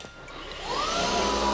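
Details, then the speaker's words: DRYFT floor scrubber after replacing the suction tank seal, suction on with hose squeezed: steady motor roar whose pitch climbs and holds higher; tank now sealing properly. "you can hear the change in the motor, and it's sealing properly there."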